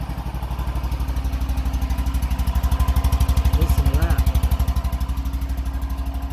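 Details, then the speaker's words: Single-cylinder engine on a warm day, started out of gear with choke on: fires to life, steady even thumping at brisk choke idle without misses; normal cold idle, still a little cold taking throttle afterward. "listen that baby fire to life that sounds so good yeah"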